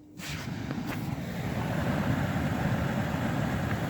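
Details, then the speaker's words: 2011 Mini Cooper blower motor, removed and bench-tested after a seized motor was freed with Break Free spray and spun by hand: click, then steady even rushing hum with no scraping or squeal across speeds, normal blower running. "you go guys it is officially working and I could crank it all the way up"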